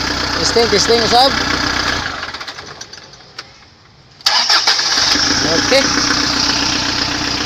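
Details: Kia Bongo 3 after a hard-starting problem was solved, with injectors mentioned: engine idles evenly, shuts off, then fires straight back up and settles into a steady, even idle; running healthy.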